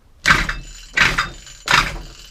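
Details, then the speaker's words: Efco strimmer, primed and fueled, slight possible fuel leak; three hard cord pulls about three-quarters of a second apart, each with a gritty scraping catch as something binds inside; internal debris catching when cranked. "like something is catching. Because when you pull the cord as well, the shaft is also spinning, which these do."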